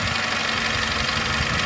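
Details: Mercedes SLK 200 after timing chain change: smooth, even idle with steady note and no rattle or tapping from the front; engine sounds healthy after reassembly.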